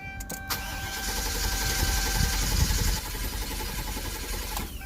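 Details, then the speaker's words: 2004 Chevrolet Silverado 2500 HD 6.0 V8 with P0300 misfire, cranked with key on and foot to the floor to test for a stuck valve: steady, even starter rhythm, nice steady cadence. "but it's a nice steady cadence so I'm gonna do what I've already done which is quick relative compression"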